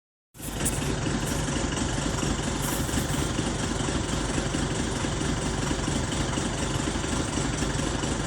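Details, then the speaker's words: Diesel at idle checked with Tech2 scan tool: steady low clatter with an uneven, lumpy beat underneath; idle surging and hunting, cause not yet known. "This thing is surging. It's frozen."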